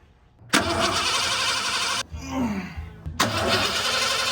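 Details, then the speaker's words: 1988 Ford F150 XLT Lariat 2WD, after new fuel tank and fuel regulator: two bursts of quick, even starter cranking, never catches; cranks but won't start, owner suspects clogged fuel filter as fuel stops there. "Well, I think I developed the issue. I believe this is the fuel filter. Every time I've tried to start it, the gas is only getting to right here and it's not making it through."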